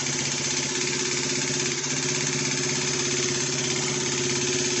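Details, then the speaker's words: Motorbike recovered from a rubbish pile, just revived: light, busy uneven clatter about three ticks a second over a steady idle; noisy top end while oil circulates, valve/barrel clearances worth checking. "it's a little bit noppy in the top end just give it a chance to get the oil around the place but I've been always check those Barrel clearances might be worthwhile but it's going"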